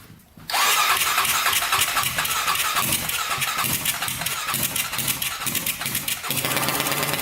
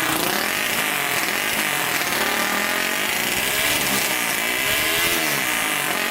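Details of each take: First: 1999 Honda 400EX quad, carbureted single, first start after adding a turbocharger; quick cranking stutter catches, then an uneven, lumpy run that never smooths out; owner unsure whether it is too much oil or not enough fuel; rough running. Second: 1999 Honda 400ex quad, newly turbocharged, after adding a fuel pump and hooking boost lines to the carburetor: buzzy high-pitched single rising and falling through repeated revs, pulling cleanly without stumbling or popping, apparently making boost; an intake hole still needs patching.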